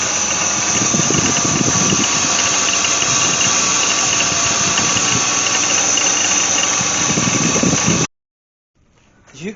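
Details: BMW Z3 2.8-liter engine idling, close-up: fast steady rattle and thin high squeak from worn idler and tensioner pulley bearings, noisier under load; water pump already replaced in vain, noise had worsened.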